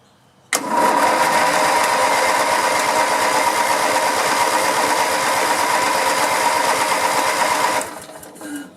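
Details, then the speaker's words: Riding lawn mower being revived after sitting, tank nearly full, with a disconnected spark-plug wire reconnected. About seven seconds of laboured, sluggish cranking with no catch; a weak battery is suspected, not confirmed, so it is to be jump-started. "well that battery might not be any good go ahead and jump it"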